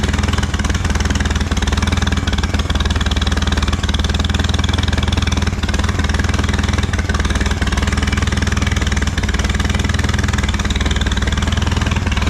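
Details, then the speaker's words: Allis Chalmers B tractor gas engine, running after long repair work, with oil pressure; a few small tasks remain. A steady, even low thump at a constant idle speed with no knocks or misses. Normal running. "all right a couple more little things to do but we got the motor running"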